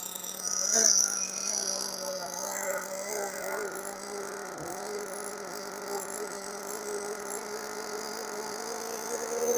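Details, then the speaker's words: Used Hobao Hyper ST nitro truggy running up and down a parking lot, still extremely rich and smoking: small engine buzz rises and falls, soft and slightly blubbery rather than crisp, pointing to an overly rich mixture. "She is still extremely rich. >> Making good smoke though."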